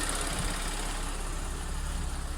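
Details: Audi S4 3.0T supercharged V6 shortly after first start following driveway bank 2 timing chain repair (P0016/P0018), no fault codes. Low, smooth, even idle rumble without ticking or knocking; normal idle.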